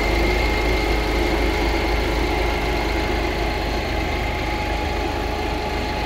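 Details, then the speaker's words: 2018 Ford EcoSport Titanium Plus diesel idling with the AC on, so the radiator fan runs; steady fan whoosh over an even, quiet idle with no knocks or misses. The engine is silent and healthy; the noise is only the fan. "మనకి ఏదైతే కొంచెం sound వినబడుతుందో అది వచ్చేసరికి fan అండి, radiator fan on అయింది. అంటే మనం కొంచెం ఏసీ ఆన్ చేసాం కాబట్టి రేడియేటర్ ఫ్యాన్ అవి మొత్తం ఆన్ ఉన్నది కాబట్టి మీకు ఆ సౌండ్ అలా విధంగా వస్తుంది అన్నమాట."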